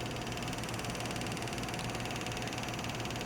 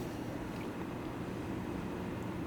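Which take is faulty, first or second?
first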